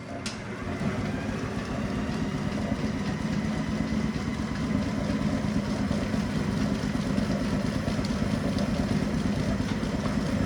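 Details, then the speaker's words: Bennett Model 450 twin clock-face gas pump, built around 1932 and sitting over 40 years in a California barn, running again after fluid was added to the pump: steady, even motor hum with a low rhythmic chug, no knocks or grinding. Sounds healthy. "She sounds healthy. It's amazing after all these years that this unit can actually run again."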